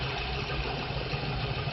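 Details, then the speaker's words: Car at idle after loosening overtightened drive belt (alternator and power steering tension): even low hum, no squeal or whine; belt noise caused by too much tension, now gone after adjustment. "Ang sikip na kanina, ngayon diluwagan, wala nang ingay. Wala na siyang ingay, mga blare."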